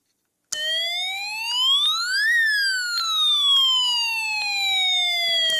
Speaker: When the rotating spinner is off, the alarm sounds like a siren.